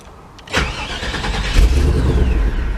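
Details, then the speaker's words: 1998 GMC OBS truck with intermittent starting issue; starter whirs, engine catches and runs a couple of seconds then cuts out abruptly; owner links it to wiring; start then immediate stall from anti-theft fuel cutoff. "Come on. Nope. This is proving me a liar here."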